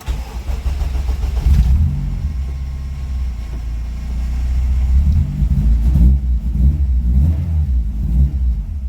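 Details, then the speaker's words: Integra after installing a 2006 Civic Si LSD transmission converted to 2002-04 RSX speed sensor and shift selector; flywheel had caused an earlier engine noise; starts cleanly, idles evenly and revs smoothly with no noise; normal start and rev. "Let's start it, see if it's still on that engine noise that it was before."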